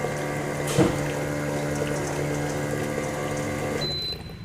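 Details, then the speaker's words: Bolde Smart Fountain 10 Expresso water dispenser mini pump pumping to the cooling kettle works but is very loud: a steady, buzzy low hum that then cuts off. Loud pump whine, cause being investigated. "Kettle pendingin aman. Suaranya kenceng banget ya. Buset."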